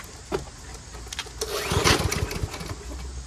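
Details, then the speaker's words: Toro Recycler 7.25 Briggs personal pace mower with fresh gas: one pull, a couple of coughs, then catches and runs on steadily; normal first-pull start. "some fresh gas in here we test it out should start on the first pull now"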